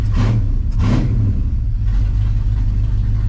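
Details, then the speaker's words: 1972 Chevrolet C10 V8 with Sniper fuel injection, first drive in 20+ years, no radiator yet: deep lumpy rumble with two throttle blips then uneven idle; running rich, cause unconfirmed. "Man, it runs much better when the alternator's keeping the sniper going, so I guess I need to get a radiator. Yeah, we need a radiator so that we can actually drive down the road. It is running something rich, that's for sure."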